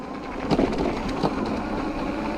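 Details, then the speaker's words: Hurley Mini Swell electric mini bike at full throttle with pedal assist, climbing a gravel hill at almost 10 mph: uneven rattling clatter from the undamped spring-only front forks topping out. "and that is the fork topping out this fork like i say you can bottom it out just by pressing your weight on it"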